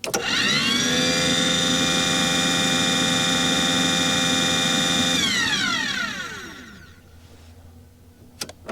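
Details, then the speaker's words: Aquahot 400D RV boiler: the blower motor whirs at a steady high pitch, then winds down with no flame rumble. Owner suspects air in the system means no fuel reaches the nozzle and the CAD cell cuts it off. The burner runs but never lights. "So, that may be what we're experiencing right now is it's trying to it's trying to move that air through the system and there's no fuel getting to the nozzle right now and the CAD cell is cutting it off."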